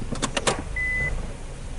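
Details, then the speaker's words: Car with a customer complaint of loud knocking while driving; on a stationary test with the brake held while shifting gears, four sharp clunks then a steady high beep; oscilloscope on the left axle suggests the inner CV joint or transmission. "so this indicates that we have issues somewhere along the line of the axle we're coming probably from it the CV joint the inner cup or even the transmission"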